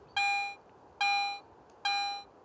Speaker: listen to this silver coin in standard mode notice that the volume of the response is always the same until the target is no longer